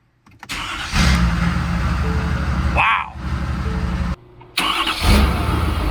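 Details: Ford F-250 6.7 Powerstroke diesel after a built 6R140 transmission install, first start: cranks briefly, fires right off and settles into an even diesel clatter; a brief ticking came and went. Healthy cold start.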